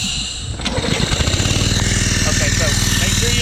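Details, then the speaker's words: Brownie Third Lung Explorer 390-X (F390X-H) hookah compressor with Honda 5.5 four-stroke, brand new on first setup, restarted without first releasing the line pressure: engine labours in slow, heavy beats of about four a second, struggling to start against compressor back-pressure. "lesson learned always unhook your your down tube to crank it or hold down this try to crank it without this hill down demonstrate it might work just on flute [Music] turn it off now try to start it again all right see now it's struggling"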